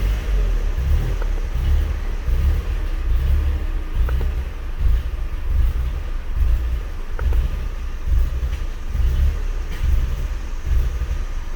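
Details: VW MK4 GTI misfiring with low vacuum despite several small leaks fixed, throwing B1S1 O2 sensor heater codes: low rumble with an uneven loping pulse about once a second; misfire, cause not yet found.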